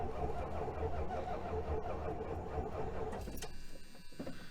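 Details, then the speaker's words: 1976 Dodge Dart with a 318 and a brand-new battery. Sluggish, labouring cranking with slow uneven beats that fade and stop without firing. The battery seems weak, and the janky screw-in positive cable is corroded. "how even this battery sounds a little weak [Laughter] [Music] that's a brand new battery too [Music] of course as we went to start cranking the car wouldn't start sounds like the battery's dead"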